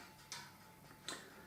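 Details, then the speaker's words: Harley-Davidson motorcycle with engine off and ignition on, just after an LED headlight bulb was fitted: a sharp single click repeats about every three-quarters of a second as the bike clicks away to itself. "don't know if you can hear there the bike clicking away to itself."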